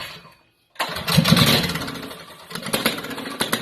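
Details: Rebuilt drift trike two-stroke, first start after carb rebuild, using a carb from an oil-injected two-stroke, possibly flooded beforehand: short silence, then it catches and runs with a ragged popping beat before settling; normal start.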